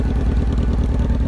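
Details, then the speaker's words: Honda CBR F4 after fixing a no-start caused by a loose pink wire under the ignition module: deep, even exhaust thumps through a loud aftermarket exhaust, steady with no misses. The engine now idles normally. "that's how the bike sounds now I have a a sh e exhaust on it"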